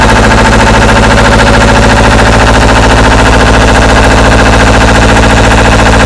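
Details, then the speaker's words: Deutz 1011 two-cylinder diesel on an air compressor: a loud, hard, uneven hammering at fast idle with a lumpy, stumbling rhythm; it runs terribly, and a sticking valve is suspected. "kind of acts like it's got a a valve sticking or something's going on with it but I'm going to fire it up let you listen to it"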